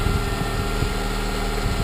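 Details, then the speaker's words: Honda engine started with a swapped ECU to test a theory, heater off. It settles into an even, steady idle with a deep, solid note and no earlier whine, sounding stronger than before; the owner suspects the old ECU was bad. "like I said it sounds much beefier so I either have a bad ECU or something because like I said it sounds totally different than what it sounded the last time I started it it sounds much stronger and more alive"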